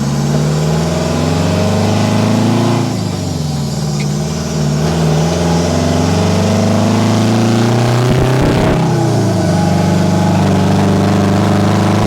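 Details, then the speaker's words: 1973 Diamond Reo truck, 8V71 Detroit diesel with 13-speed, not fully warmed, first drive in low range: deep loud roar rising and falling with revs, open unmuffled note as the exhaust stack falls off. "Whoa. I think the stack just fell off. Ow. Oh my lanta."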